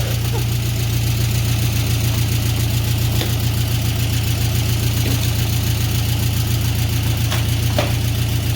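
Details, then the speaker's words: VW Beetle after oil pan replacement, having bottomed out and lost oil, metal found in pickup: steady low idle with rapid, even puffing tick about three or four a second, slightly clattery; exhaust leak. "Well, I can definitely hear the exhaust leak, but I don't know with how it sounded a second ago. Yeah. I can taste the exhaust leak too."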